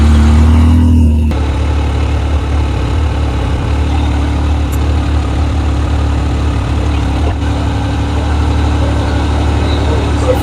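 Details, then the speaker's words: Yamaha YXZ1000R UTV at idle, warmed up with the fan override switched off; stock radiator fans switch on automatically around 207–210°F, a soft rushing whoosh over the steady idle, and temperature drops to about 195°F; normal radiator fan operation. "just kicked on you can hear of fans just kicked on without us touching anything"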